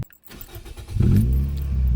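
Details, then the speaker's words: 2003 Toyota Yaris T Sport 1.5 VVT-i after starter motor replacement, fixing an intermittent no-crank, no-click fault: a brief, brisk crank catching almost at once into a steady idle, quicker than ever before; healthy starter. "Now, that sounds like a healthy starter. If I ever heard one again."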